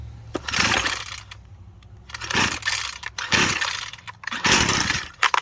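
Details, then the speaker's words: Husqvarna 122C two-stroke string trimmer, cold start with choke fully up after 10 primer presses. Four raspy easy-start pulls, then one sharp pop as it briefly catches; normal first fire, next step is half choke. "then when you hear it fire like that, you're gonna push your choke down to the halfway point."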